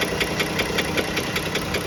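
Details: Pentastar engine at steady idle: sharp, regular knock about five times a second over the engine note, deep internal knock; after several second opinions, likely a piston wrist pin, not confirmed.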